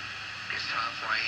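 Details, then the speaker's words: A 1963–69 three-valve kitchen radio on a licensed Philco design, given away as not working, is still very noisy after a short from a lost screw was cleared: a muffled broadcast voice nearly buried by constant hiss and crackle. "It's still very, very noisy."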